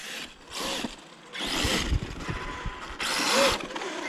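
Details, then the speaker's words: Traxxas E-Revo RC truck driven on a frozen lake after a jump: repeated bursts of high motor whirring rising without matching drive; slipper clutch loose and slipping very badly. "uh-oh sounds like my slippers loose all right back in the shop here gonna figure out what's going on with the slipper in this thing i jumped it off the top of the truck and started driving and it was slipping very badly"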